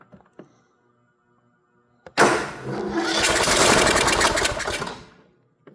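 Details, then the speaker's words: Troy-Bilt mower, Kohler 18 hp, after carb solenoid replacement, choke on and carb primed with gas: solenoid click, engine catches and runs rough about three seconds then dies; fires only when given gas, cause unconfirmed. "So, it does fire if it gets gas."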